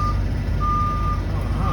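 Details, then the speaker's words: 2009 Forest River Starcraft Allstar bus on Chevrolet C5500 chassis, 48,111 miles, backing up in reverse: steady high single-tone beeps about half a second on and off over low engine rumble; backup alarm works normally. "And you see as I'm backing up in reverse."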